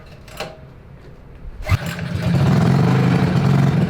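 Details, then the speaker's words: Trailmaster MB200 mini bike, modified Jiang Dong 196cc OHV engine rebuilt with new crankshaft, rod and Fire 265 camshaft, choke on: starts on one pull and settles into a steady, even run with no knocks or misses; camshaft break-in run. "One pull. There was oil in it. Oh, okay. Yeah, you're right. Sounds good."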